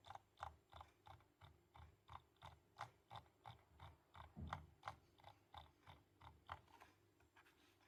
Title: Logitech g203 lightsync rattling sound